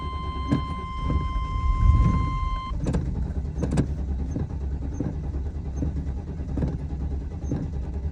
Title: No Start After Warm Up